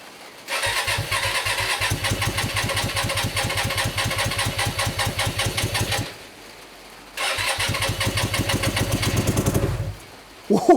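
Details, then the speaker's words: Hyosung GT125RC motorcycle, first start in two years after ultrasonic carb cleaning and wiring changes, no airbox, on choke: catches and runs roughly, seemingly on one cylinder, dies, restarts briefly and dies again; likely fuel mixture trouble. "it did start up it did start up I think I feel it was all filled up it's gone"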